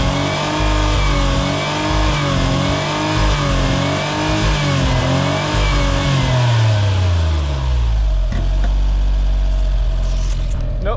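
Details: Suzuki Cara/Autozam AZ-1, DOHC F6A, free revving in a garage while wiggling connectors: revs rise smoothly, hit an early ceiling and fall away each time; connectors not the cause; fuel system or valve float suspected.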